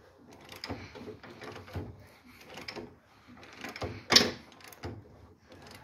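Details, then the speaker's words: 1966 Volkswagen Beetle engine, unrun since 1988 then driven and failed, turned slowly by hand: irregular sharp clacks, one sharper knock, seeming to come from one side, stops when turned backward; valves looked intact, cause unknown. "you can hear it clack like that it sounds like it's coming over on this side"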